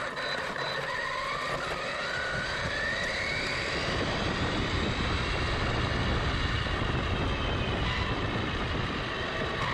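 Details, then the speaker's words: Arrma Typhon RC car after rebuild with replaced chassis and hub, first test run with throttle limited to 50%: steady electric whine rising and falling with throttle over gravelly tyre noise, no clicks or grinding; drivetrain runs clean. "I'm out here giving it the first test run. I've got the throttle limited to 50%. The car's running very nicely."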